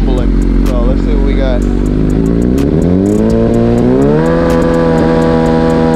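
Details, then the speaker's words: 2009 Suzuki GSXR 1000 that sputtered badly, tested with a substitute fuel tank and pump to rule out the fuel pump: revs climb smoothly and hold steady, clean even exhaust note with no stumble; original fuel pump confirmed faulty. "now I will admit this pump does sound better than the last [Music] one"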